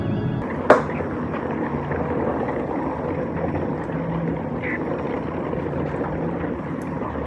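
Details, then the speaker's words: Old 3,000 lb lead-acid forklift battery with hot spots around 90°F: soft, steady fizzing and gurgling like boiling water from every cell. Owner suspects thermal runaway. "is the lead acid battery the 3,000lb battery but if you listen real carefully you can hear a gurgling water boiling sound coming out of every battery cell"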